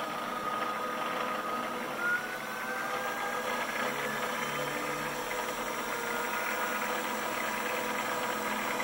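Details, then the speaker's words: PM-728V-T mill spindle on the high-speed pulleys at about 2500–2600 rpm, with an even quiet whir and a faint ring, no knocks or grinding; normal spindle running. "2,500 almost 2,600 pretty quiet which you have a good lesson let's crank it up a little bit"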